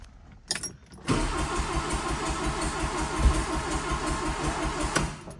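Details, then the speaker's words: 1981 Plymouth Reliant/Aries K car, 4-speed, sat 35 years: steady cranking with consecutive sharp pops at the exhaust, never fires; exhaust gap suspected, timing belt, cam, distributor and crank confirmed correctly positioned. "Now, that was a those were consecutive pops in the back. Did you hear those?"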